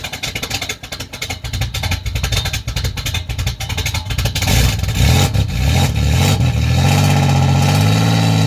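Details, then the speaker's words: 1987 Chevrolet Celebrity Eurosport 2.8 V6, 237k miles, cold day, recorded at the tailpipe before the MagnaFlow catalytic converter install: loud, crackly, raspy exhaust note getting harsher as revs rise, with fuel smell. "I like the sound that it has when you first fire it up, but the raspiness and the exhaust smell in the clothes, no."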